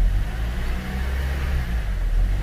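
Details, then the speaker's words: Honda CR-V gen 2 with cable-type throttle body, warmed up, idling with no throttle input: idle rises and sags instead of holding steady and cuts off, idle hunting with no check engine light; dirt suspected, cause unconfirmed. "ibig sabihin, no, idle hunting, tumataas sa minor, nagka-cut off."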